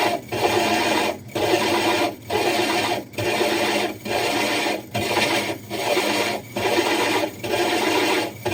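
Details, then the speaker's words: Diamond hole saw drilling the glass of a 60 breeder aquarium: rasping grind in bursts about once a second, each dropping briefly as pressure lifts and drill power varies instead of brute pressure; normal controlled cutting. "You notice how he wasn't just putting brute pressure on it. He kept lifting it up and then reapplying pressure. And if you could hear the drill, he was actually fluctuating the power of the drill."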